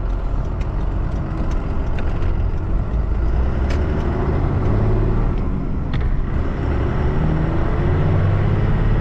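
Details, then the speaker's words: 2nd-gen Dodge Cummins diesel truck just fine-tuned for added power, driven on road under light throttle: deep rumble with faint rising turbo whistle; noticeably more pep, normal turbo spool. "i just like gave it a little bit of throttle and it definitely has more pep and you can hear the turbo"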